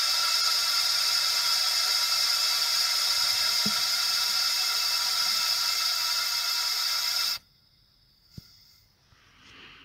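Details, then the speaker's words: Honda ST1100 Pan European leak-down test through a spark-plug-hole adapter: a steady loud air hiss for about seven seconds, then an abrupt stop. Air escapes past the rings into the crankcase, sounding louder than on the previously tested cylinder. "le bruit m'a l'air d'être un petit peu plus important que le dernier cylindre que je viens de faire"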